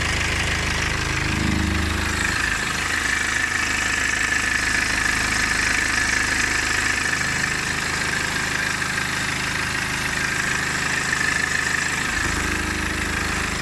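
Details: 2009 BMW E60 LCI, N47 diesel at idle: fast, fairly even ticking rattle about four a second over the diesel clatter; timing chain noise suspected, not confirmed.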